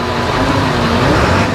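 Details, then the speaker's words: 2000 Ford F350 7.3 Powerstroke diesel, after priming the fuel system; earlier rough running was from no fuel: diesel clatter rises smoothly and evenly as it revs, responding cleanly to throttle; engine runs healthy, though an electrical burning smell followed. "oh yeah this old truck sounds good that's why I was running so rough there was no fuel"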